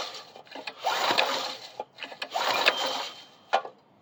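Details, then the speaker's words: Coleman BT200X minibike being recovered, spark checked and looks good: each recoil pull brings a loose, gritty rattle riding on the cranking noise, likely debris in the fan shroud: rattle while cranking. "Sounds like there's a lot of stuff in this fan shroud, so maybe we'll pull that off and get it cleaned out too."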